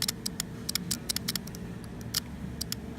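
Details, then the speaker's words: Automotive HVAC compressor relay bench test, fused jumper wire to battery and pin 86 powered: sharp dry clicks in uneven bursts as the jumper touches positive, over a faint hum; relay switching normally. "Now you want to touch it against the positive, and you should hear the clicking."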